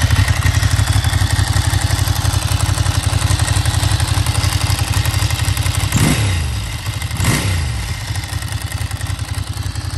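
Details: Ducati 900 Monster V-twin after fitting prepared big-valve cylinder heads, high-compression pistons and new ignition coils: deep, even thump at fast idle with two clean throttle blips rising and settling smoothly; strong and healthy.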